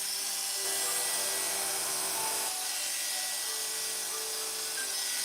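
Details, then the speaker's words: Hair clipper with a freshly sharpened barber's blade, cutting test: steady high buzzing hum with a smooth even cutting note, no rattle or chatter, after the blade pieces seat together. Socket fine, no adjustment needed; cutting properly. "So we're not going to adjust the socket on that one. That one sounds pretty good. Takes a little bit for the two pieces to seat together."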